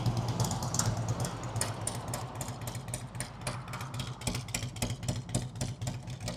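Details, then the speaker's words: 2003 Harley-Davidson Road King 100th Anniversary with new headers, fishtail exhaust, Andrews 26A cam and ThunderMax on a road test: deep, loping V-twin beat with a steady low thump, no knocks or rattles; runs smooth and healthy. "I'll let off at high speeds, let it growl down, let you hear what the thing sounds like with the fishtails."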